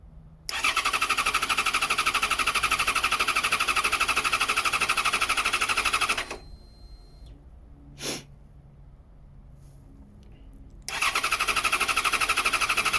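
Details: 2014 Yamaha XJ6S Diversion, under 12k miles, stolen-recovered: two long bursts of fast even starter whirring, about three beats a second, no firing; cranks but won't start, traced to an unplugged connector after water-in-tank concern.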